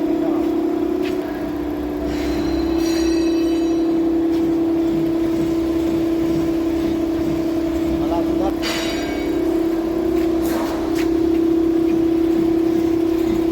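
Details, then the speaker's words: 2016 Ford Explorer steered left and right: steady engine hum with scattered creaks and knocks, attributed to the shock absorbers and stabilizer bar bushes. Engine mounts are also worn, causing vibration, and the engine has a cylinder 5 misfire code (P0305). "जैसे हम left right को turn करते हैं तो एक sound आती है देखो शॉक ब्जर्व की और बैलेंस रोट के बुश वगैरह की प्रॉब्लम है तो उसको भी फिक्स करते हैं"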